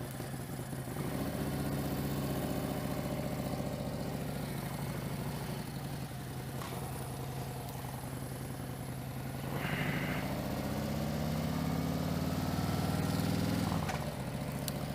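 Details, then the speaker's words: Motorcycle after an upgrade, new noises since: idles and blips with a breathy air rush that rises with revs, no metallic scrape. It is just air, a false alarm. "that's the sound of air not the sound of"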